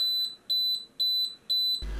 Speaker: Là du coup elle continue à biper hein, jusqu'à ce qu'on lui indique que l'incendie est pris en charge manuellement.